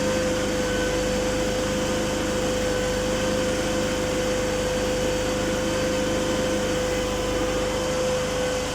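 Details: PRAMAC petrol generator in for repair after a no-start complaint, now running and charging its battery: a steady, even hum at constant speed with no hunting, surging or knocks.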